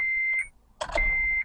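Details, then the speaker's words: 2008 Honda Civic towed in with new battery, key on and crank attempted: two long high beeps about a second apart, no starter click or cranking; no crank, warning chimes only. "this is uh 2008 Honda Civic was uh no crank no start it was dropped off a a tow truck today"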